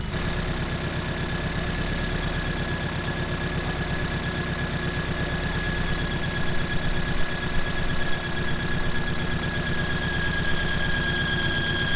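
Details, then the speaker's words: Honda engine with a used VTEC cylinder head stored six to seven years, at idle after swapping in another set of cam caps: steady thin high-pitched squeal persists; owner suspects camshaft or mixed-up cam caps, possibly needs line honing; unconfirmed, water pump still unchecked. "but the squealing I'm almost certain is coming from the camshaft"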